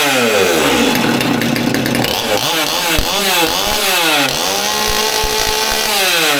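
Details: Old Stihl MS200T top-handle chainsaw that previously idled fine but wouldn't rev up, after teardown and fuel line replacement (suspected cause): revs up and down freely, climbing cleanly each time without bogging or hitting a limit; sounds healthy now.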